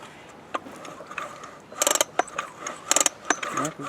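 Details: Craftsman 24cc 17-inch two-stroke weed eater, acquired with broken fuel lines and primer ball. Three quick pull-cord rattles with clicking starter, no firing pops; engine turns over but won't start.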